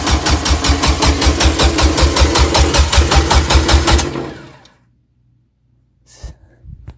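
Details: Turbo Suzuki Forenza after new turbo, header and stage one clutch, fuel pump fuse pulled to prime: even starter rhythm about five beats a second for four seconds with no firing; normal cranking without start.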